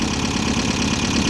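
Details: VW Type-3 Fastback air-cooled flat-four, first start after reinstalling the engine with its loose heads retightened: a steady idle with busy, clattery top-end chatter. The valves are noisy; the owner suspects his valve adjustment was wrong and plans to readjust.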